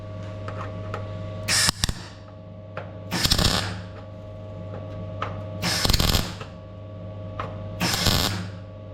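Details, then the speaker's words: MIG tack welding a rust-repair patch corner on a 1957 VW Beetle oval window body: short roughly one-second bursts of even frying crackle with steady hum between tacks; clean, correctly set arc. "you go, that's the sound I want right there."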